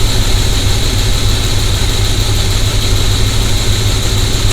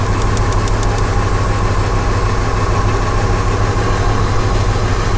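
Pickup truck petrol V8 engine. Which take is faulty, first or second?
second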